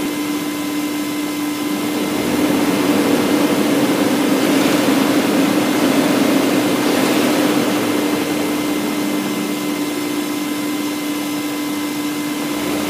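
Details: BMW M62B44TU V8 with stock exhaust, right after replacing the timing chain tensioner with an aftermarket INA part: smooth even idle, clean rise on light revs, no chain rattle from the front; timing chain sounds healthy.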